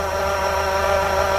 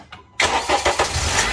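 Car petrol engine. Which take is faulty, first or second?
first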